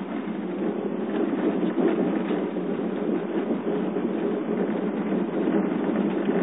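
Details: 2008 Subaru Forester 2.5 XT, about 54K on odometer, driving: dense, rapid rattle over road noise from front brake pads chattering in calipers, started at 30K, quiets when brake lightly applied; dealer grease helped only two weeks.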